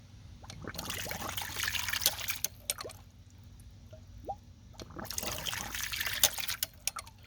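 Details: Ram pump installed the day before, 3-inch intake and 1-inch line, little drop: water rushes in slow, uneven surges with sharp clacks between, drawing in air and giving low pressure; sluggish cycling, cause not confirmed.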